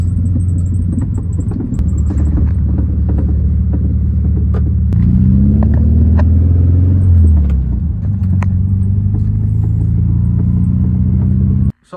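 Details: 1972 Volkswagen Beetle while driving. A low engine drone is broken by sharp, irregular knocks every second or two from the rear. A loose clunk whose source has not yet been found.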